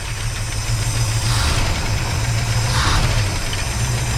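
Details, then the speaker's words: Van engine first start after 15 years sitting, on starting fluid, running rough and smoking; irregular slapping flutter over the low idle from the two unhooked alternator and AC compressor belts flailing in the bay. "they're not even hooked up right now so they kind of like flanneling around like crazy in there so yeah that's that sound"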